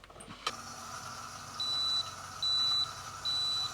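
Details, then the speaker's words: 2015 AEG Favorit/Electrolux dishwasher leak alarm, code i30: click, then three evenly spaced high beeps over a faint hum, pump kicking in; water on the base pan raised the float; fixed by thorough cleaning. "Well, this morning I woke up to the dishwasher beeping. Three beeps, pause. Three beeps, pause. And the display read i30."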